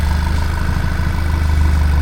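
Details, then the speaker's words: Audi A3 8P, after retiming, injector swap, clutch upgrade and base map flash tuned toward 260 bhp: started first time with deep, smooth, even idle, steady low hum, no misses, ticks or knocks; coolant ran low afterwards. "The car actually started first time and I just couldn't believe it to be honest. I was astounded. It ran It It runs perfectly."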